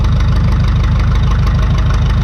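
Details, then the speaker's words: 1952 McCormick Super WD-6 tractor, sat about 10 years, idling while warming up, rpm picking up slightly; deep, even low thump at steady idle with no knocks or misses, a normal idle. "then the RPM picked up a little bit and it just it seems like it's getting warmed up"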